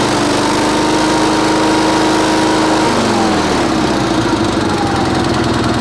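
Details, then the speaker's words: Sears Suburban SS16, 16 hp Onan twin, after moving a fuel line hose clamp that the linkage hit: a steady, even buzz that drops smoothly as the throttle comes back, no misses, knocks or smoke; normal running. "How about that? We got us a running engine, not smoking. Throttle works."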